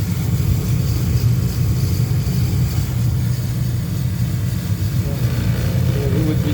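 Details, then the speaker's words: Noisy furnace motor running with loud steady low rumble and no clean hum; worn motor bearing plus brush problem, whole motor to be replaced. "see you can hear this is the bearing is no good too so it's two problem this a problem and this is problem so I'm going to change the whole thing"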